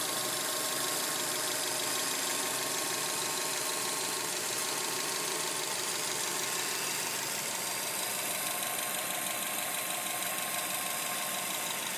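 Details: 2007 Subaru Legacy spec.B with constant light metallic clatter over idle, about three per second; source not yet found.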